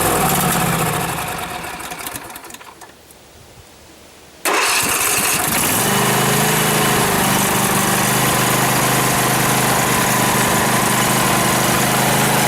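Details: 2012 Husqvarna riding mower that survived a flood, start attempt before any carburetor cleaning: the engine winds down and goes quiet, then fires straight up and settles into a smooth, even idle with no stumbling, a normal idle.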